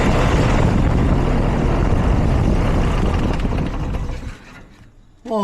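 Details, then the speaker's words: Ferguson tractor engine, right after the starter was changed, fires right up and runs with a rapid even chug, then revs drop away; starts cleanly, timing seems not far off, carburetor still to be sorted. "that's a lot better. Woo! Jeez. Okay, up next will be the carburetor. Um, it didn't sound like our timing was too off either. It fired right up."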